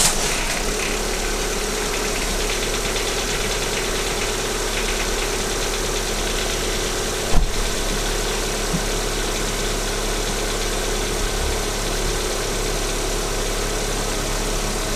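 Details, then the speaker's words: Cold start on a VAZ 21127 engine at 27,500 km, checked by stethoscope: the hydraulic lifters tick lightly and quickly over a steady idle for about 5 seconds, until oil pressure comes up. "Вот на холодную гидрики немного стучат, тоже секунд 5."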